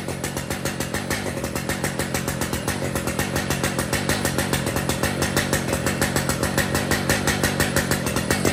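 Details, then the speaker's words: Brand-new Stihl MS 881 chainsaw with 36-inch bar and chain, freshly set up and tuned: rapid even crackle at steady speed, firing cleanly with no misses or hunting; normal running. "here's the 881s with their 36 in bars and chains the saws have been tuned and they're ready for pickup"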